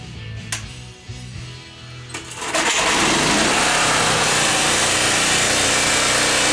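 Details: 1980s PowerMate PM1500 1500-watt generator with a 3 hp engine, carburetor cleaned; after a few pulls it catches and runs smooth, quiet and even, no misses or knocks, though the owner reports an unidentified electrical problem; normal running.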